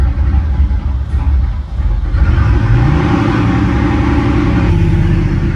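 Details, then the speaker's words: Lamborghini engine with both secondary air pumps removed, restarted with the EPC light on: an uneven, lumpy rumble with stumbling beats, misfiring, then stalling. Suspected cause is the missing air pumps and the stored fault codes; it ran fine before. ">> That sounds terrible. >> Yeah, it misfiring >> and it died."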